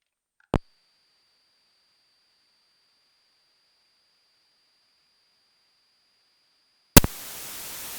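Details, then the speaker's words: Headset audio via 9er Systems USB interface with AC-2EX intercom plugged in: near-silent line with faint high whistle, then a click and sudden steady static hiss. Noise appears only with the intercom connected; cause unknown. "that phone crazy noise, not really sure why."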